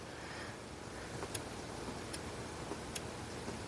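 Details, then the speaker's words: Kustodian Plus lane machine squeegee up/down error: enable relay clicks about every 0.8 seconds but the motor only sometimes tries to run; cause a poorly patched, taped wiring splice. "We may have multiple issues. We don't know yet. The relay's clicking. I can hear the enable relay."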